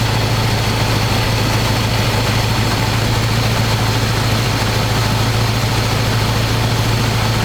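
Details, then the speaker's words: 1985 square-body 454 big block, 4-speed, sat 20 years, oil and filter changed; after adjusting idle screw that wasn't touching throttle, warm engine idles smooth: deep loud even open-pipe rumble, steady, no stumbling or hunting. Normal idle. "let's see if I can get this thing to idle you it's idling pretty smooth"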